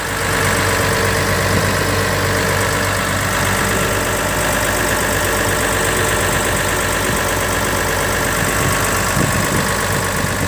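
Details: Komatsu PC500LC-10 excavator diesel after 1000-hour service and fuel priming, during the performance test: smooth, steady idle with an even low rumble and no knocks or misses; sounds healthy.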